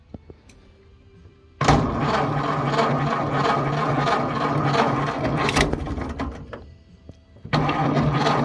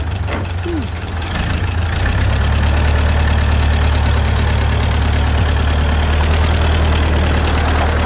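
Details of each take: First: 1931 Ford Model A, 200.5 cu in flathead four, 4.5:1 compression, off the road 65 years. First start with choke and starting fluid: catches after a long crank, runs lumpy, surging and dying back. Flooding from a fuel-dumping updraft carburetor, pulled for cleaning. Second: 1931 Ford Model A, flathead four, 200.5 cu in, about 4.5:1 compression, just revived after 65+ years stored; low, steady idle with even soft beat, no knocks or misses; running smooth and healthy.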